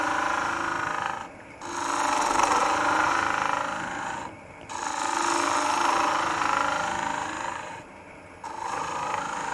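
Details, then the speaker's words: Woodturning lathe hollowing a green, wet end-grain bowl with a Sorby ring tool: rough buzzing cutting bursts with short pauses; chatter from working a little too far out over the tool rest. "oh hear that chatter i'm getting just a little bit too far out over the tool uh rest"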